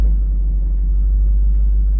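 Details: V8 with MSD/Holley power harness, idling with lights and accessories on; deep, even rumble, no hunting or stumble. Normal idle.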